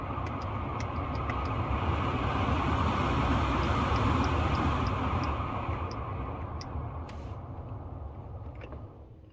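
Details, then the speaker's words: 2009 Lincoln Town Car that had its blower running as soon as the key was on, now tested with the AC switched on: even rush of air from the dash fan, smooth with no rattle or squeal; blower operating normally. "so let's try and turn the AC on as you can here the fan works properly"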